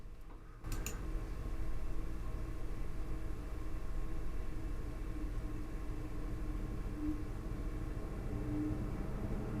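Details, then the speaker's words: Lian Li 217 INF PC case, CPU radiator fans at 100%: steady soft rush of air through the radiator with no whine or high-pitched tone; normal fan airflow. "So, as we can see, the sound is normal. I can call it a normal fan sound. You know, you you actually hear the wind going through the radiator and so on. There is no high-pitched sound or something like that."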